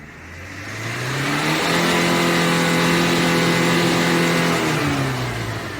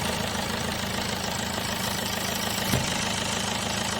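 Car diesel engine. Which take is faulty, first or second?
second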